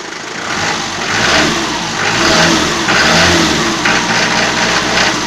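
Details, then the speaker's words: Toyota 4B diesel after injection pump repair: uneven rattling knock on throttle blips about once a second, like rolling balls; absent under load in 4th-5th gear, heard on light throttle and overrun; cause unconfirmed. "маленько такой звук перекатывающихся шарика . когда под нагрузкой работает допустим на как идешь на 4 5 передачи газку дал скука не слышно а вот когда в догоночку даешь по накату плюс как сильно уже"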